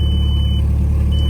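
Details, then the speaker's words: 2004 Volkswagen Touareg V6, five-speed manual, 173,755 on the odometer, no check engine lights: deep steady idle rumble with faint puffing pulse from an exhaust leak at the flex pipe. "you can probably hear that exhaust leak it's right on the flex flex pipe up by the end so it's really hard to get to"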